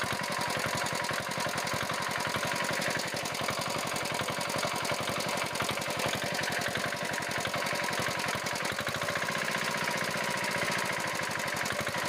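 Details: Engine idling with fast, even knocking and no change in speed; abnormal engine knock, cause not yet pinned down.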